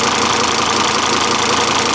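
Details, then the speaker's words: 2004 Volvo XC70 AWD bought at IAA auction, left idling for a long while after the first drive: steady, even, smooth idle with no knocks or misses, sounding healthy. "there she is guys it's still running i've left it sitting here running this whole time"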